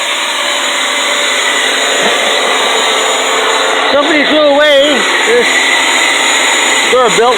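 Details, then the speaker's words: Curbside-found Durabuilt electric pressure washer, running a couple of minutes on an extension cord: steady, even high-pitched motor drone with no surging, knocking or grinding; motor runs fine, only a damaged hose. "steam cleaner and as you can hear the motor seems to run fine"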